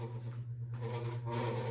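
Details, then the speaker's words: 52-inch Evergo hugger ceiling fan on low speed: a loud, steady low hum with a rough rasping layer on top; a noisy fan motor, quieter on medium and high. "he gave it to me because it was real loud so I'm going to show youall how loud it"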